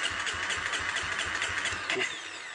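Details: Honda CRF250, start-then-stall problem, standard bike, cause not yet known: single-cylinder firing unevenly with ragged pops, then note sags and fades out; stalls after starting.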